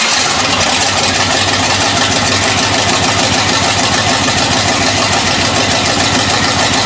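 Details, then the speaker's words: Grand Marquis V8 just reassembled after being in pieces: loud, steady, even engine note with crisp exhaust bark, no knocks or misses; probably the healthiest it has sounded, normal running. "that's probably the healthiest you guys of her it sound almost sounds like she wants to go do some damage"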